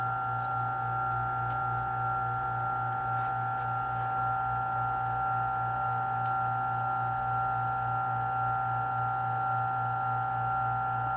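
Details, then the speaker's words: Turin DF64P espresso grinder after fitting Gorilla Gear burrs, checking for the zero point: smooth, even motor hum with a steady low buzz and constant mid tone, no chirp; burrs not touching yet, normal running. "it's not tripping so far [Music] hmm not tripping okay"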